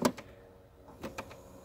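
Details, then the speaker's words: 2008 Chevy Impala: sharp irregular tapping behind dashboard when changing air controls or after key off; gear-operated recirculation door actuator binds, locks up and snaps back; fix is replacing the actuator. "sometimes uh if whenever goes back and I don't know gets a point where it binds up and it locks up there it is gear operated"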